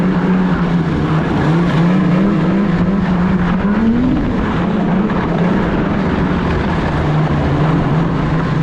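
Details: 2016 Polaris Indy 600 SP two-stroke snowmobile, test ride after fresh spark plugs, before fuel filter fix: flat drone over wind creeps up and sags back at half throttle, only about 6200-6400 rpm; fuel starvation from plugged filter.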